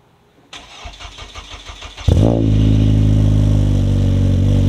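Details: Honda Civic Si 9th gen with freshly built K24, first start after an oil change, on jack stands: starter cranks, catches cleanly, brief flare then smooth steady idle; oil and fuel pressure good.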